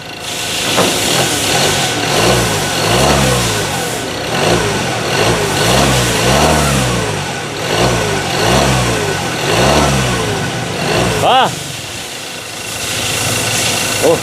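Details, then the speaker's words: Ford Ranger 2.2 engine that shook, with a cylinder 3 injector code (wiring or coil suspected). After adjusting the ignition setting, blips rev up and settle cleanly without shake or misfire, much steadier than before. "กว่าเดิมนิ่งกว่าเดิวเยอะเลย"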